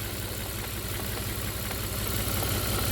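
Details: 2008 Volvo XC90 3.2 petrol idling unevenly with a faint recurring stumble; cylinder 4 misfire, needs new coils and PCV; EVAP system and oil trap still to be checked.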